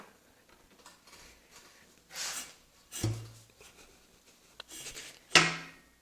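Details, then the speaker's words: Motorcycle that won't start, piston at top dead center, valve and cam chain timing reportedly correct: kickstarter pushed slowly by hand stops after about three-quarter turn, with scraping then two sharp heavy metallic clunks; cause unknown. "when i uh kick started or hand kick start it with my hand it goes about about a three quarter turn and then the kickstarter stops and i hear this big clunk sound"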